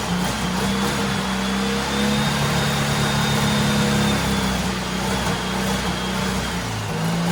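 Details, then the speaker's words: Turbo rat rod Porsche 930 on a new carburetor, reaching about eight to nine psi of boost; strong, clean rise and fall in engine pitch with steady pull and no misses or knocks; owner notes a remaining fuel issue. "oh my god i'm so happy that [ __ ] thing sounds awesome"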